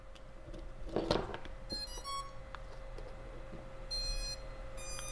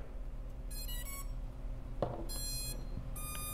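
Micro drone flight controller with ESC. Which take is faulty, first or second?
second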